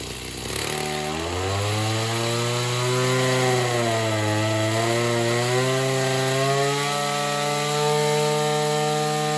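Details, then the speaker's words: Oleo Mac BC240 strimmer, assumed 24cc two-stroke, warmed up after spark plug clean: idles nicely but revs climb unevenly and sag at full throttle, bogging; owner suspects a partly blocked in-tank fuel filter. "it definitely feels like the fuel filter in the tank is probably a bit blocked up"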